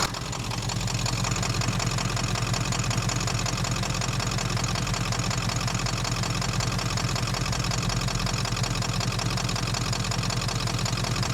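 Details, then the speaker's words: Ford 7.3 diesel (OBS Powerstroke F350) after a head job, with fuel lines removed and the system being bled of air. It idles with about 160 clatters a minute and an uneven stumbling pulse, near dying; fuel starvation suspected, not confirmed. "Like it just wasn't getting enough fuel, but it it exhibits symptoms that are like kind of throw you off. Like it's not what you would think a lack of fuel would make a symptom."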